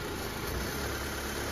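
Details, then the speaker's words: Mitsubishi Lancer Cedia 4G18 at cold idle after a fuel pump replacement and ECU reset, no longer hard starting. The idle stays low and steady while the steering is turned, with no pump whine or stumble, so it is healthy under power-steering load. "Steering, gumagana. Buhay natin yung steering function ni bossing."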